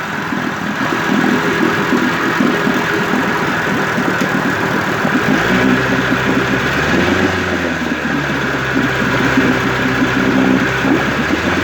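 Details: 1958 Evinrude 18HP Fastwin two-stroke outboard with replacement powerhead, new head gasket, rings, crankpin needle bearings and NGK B6S plugs, cover on. Even, steady idle with clean rhythm and brief smooth pitch change, no misses or clatter: normal idle.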